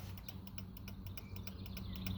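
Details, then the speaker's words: 1999 Honda Magna 750 with 14,000 miles: left turn signal takes up to 30 seconds to start while the right engages immediately; faint clicking about three times a second as the relay tries to engage. Owner plans to clean the switch connectors. "It takes up to 30 seconds before the signal starts turning on."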